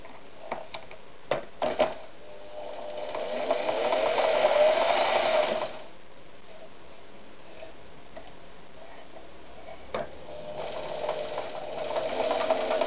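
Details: Victoria 128 FE sewing machine after servicing: smooth even bursts with steady mid hum and light needle ticking; runs healthy.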